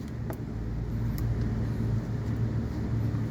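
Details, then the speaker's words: Ford engine idling: uneven lumpy low rumble mimicking a misfire after spark plugs and ignition coils were changed, actually a vacuum leak from an old leaking intake manifold gasket at the back. "so that's why it's looks like the sound is look like mispiring but it's not misfiring this is a vacuum leaking"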